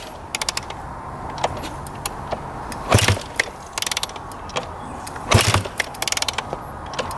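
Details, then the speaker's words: 2001 Honda CR250 two-stroke dirt bike that had been sitting, kicked over a few times: ratcheting clicks and weak chuffs, but it won't fire. Old fuel looked heavily oil-mixed; stale fuel is suspected, not confirmed. "All right, let's kick this thing over a couple times. See what it sounds like. Who knows? Maybe this thing will fire right up."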